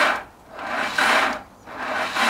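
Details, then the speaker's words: Slow, laboured cranking strokes about once a second, engine barely turning over and not catching on a Honda Integra after sitting about six months, fresh semi-synthetic oil; battery too weak, needs charging. "No, we need to charge it more. Yeah. Yeah, good. Yeah, that's true. It doesn't sound healthy."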